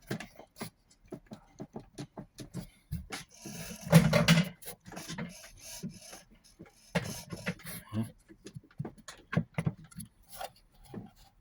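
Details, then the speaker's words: Drean 076 semi-automatic 5.5 kg washing machine: irregular rasping, rubbing grind from the transmission as its pulley is turned by hand. This is the customer's noise complaint, a transmission grinding fault. "bueno acá está el ruido que decía el cliente"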